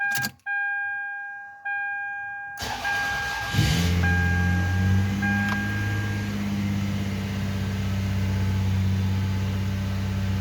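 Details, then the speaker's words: Toyota Avalon started after timing belt, thermostat and spark plug replacement: dash chimes, then quick firing into a smooth, even idle, with a brief skip caused by the key being released. No misfires and no flashing check-engine light. Normal start. "Runs nicely. You may have heard like that little skip when I went to start it, and that was me."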